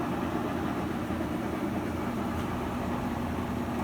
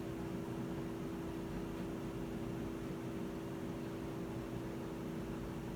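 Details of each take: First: Whirlpool washer after repair (the fault was the rear switch): steady, even drum whir with a smooth low hum and no knocks, spinning normally through the same cycle. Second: Whirlpool washer that won't spin, even after recalibration, in drain-and-spin mode with the lid lock reading correctly: only the drain pump hums, with no drum spin; a faulty imbalance safety switch is preventing the spin.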